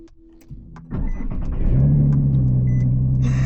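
Starter whirs briefly, the engine catches cleanly and settles into a steady, even idle with no misses or knocks.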